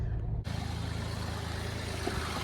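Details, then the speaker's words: Ford Focus 3-cylinder turbo with oil light on and engine fault warning: deep, uneven, lumpy rumble at idle with wavering beat, worse up close; rough running, cause not found. "You really hear it when you get close. Not supposed to sound like that. Yeah, it's really bad."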